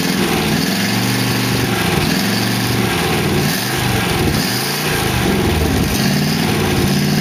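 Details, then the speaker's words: 1962 Oldsmobile 392 V8 in a 1914 Dodge Brothers rat rod, fresh start with no coolant in it. Busy idle with light lifter ticking up top, ticking at first start and then calming down. "yeah lifter's quick making noise looks like it's uh actually even idling but the lifters were ticking when i first started it uh they calm down"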